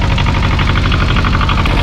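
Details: 1985 Kubota T1600 diesel lawn tractor, 290 hours, just started after glow plugs: steady, even twin-cylinder diesel chug at idle, clean regular beat, no misses; normal idle.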